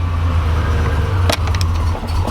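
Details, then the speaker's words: 1987 Buick Grand National, just started cold, before warm-up, during fuel injection work: low idle that sags and wavers with dips, wanting to stall; rough idle, cause unconfirmed. "And the car's gonna want to stall."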